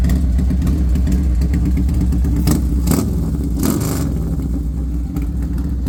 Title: Harley sportster misfiring?? Any advice is appreciated.